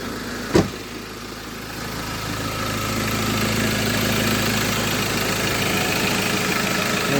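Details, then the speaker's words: 2015 Ford Ranger Limited showing 50,088 miles, with new front springs and a fresh MOT pass. The engine catches on a single start and settles into a steady, even idle hum with no knocks, squeals or rattles; it sounds healthy. "squeaks, no noises, no nothing. Just literally passed MOT on Monday."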